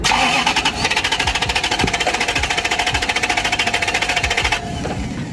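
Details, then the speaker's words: 2010 Ford Taurus 3.5, crank/no-start: fast uneven starter churning about 3.5 beats a second with no compression pulses or firing; sounds like all cylinders dead; low compression. "um which means that if I go back and look at the pressure tester and it says 30 PSI that just means that all the cylinders dead um which is what it sounds like to me it's what it sound like from the beginning"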